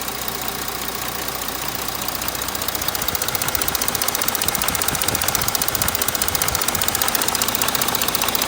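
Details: 3.0 TDI diesel engine running before any repair: a steady diesel clatter with a regular knock two to three times a second riding over it. This is an abnormal engine knock, and the cause has not been identified.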